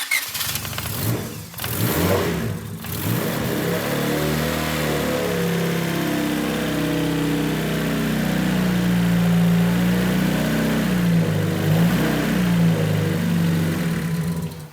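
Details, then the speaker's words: Turbo Honda D16 EK Civic enduro race car, first static start after wiring and output tests: brief cranking, then it catches and settles into a steady, slightly lumpy idle; runs, but fault still to be checked. "It starts. Yeah, it starts, runs."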